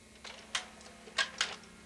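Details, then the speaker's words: VCR during a repair check: a few light clicks and a short whirr as the cassette is drawn in over a faint hum; tape loads normally; normal tape loading. "okay it took the tape fine and normal everything sounded right"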